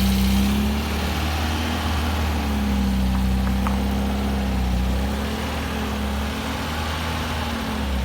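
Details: 1971 MGB under restoration, taken out of the garage to test the brakes before a carb tuning: an uneven, wavering idle with drifting pitch, as if intermittently dropping a cylinder; misfire cause not yet found.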